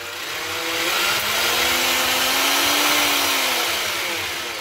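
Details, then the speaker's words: Parkside cordless jigsaw after repair, reassembled without its base plate, run at maximum speed with no load. A high, steady motor whine holds full speed with no dropouts or stalling. Normal running at full speed. "включаем работает проверим на максимальных оборотах может стоп"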